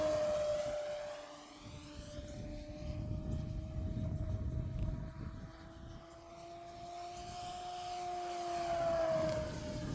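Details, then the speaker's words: Nexa P-51 Mustang Dago Red 1580mm RC plane on 4S, drawing 50 amps at full power, in a windy flight: a steady motor tone drifting in pitch with wind rush underneath as the motor quits. The owner blames the low-voltage cutoff kicking in and the timer setting. "now if you're still watching the motor's quitting so yeah we we're having that LBC kick in again"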